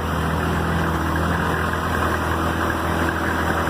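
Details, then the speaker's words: Chevy diesel short school bus RV conversion at idle: steady, even low diesel idle with fine light clatter, no knocks or misses; the clacking is normal for a diesel. "so we're running a diesel bus will normally have the clacking sound and that's okay you hear that sound right there"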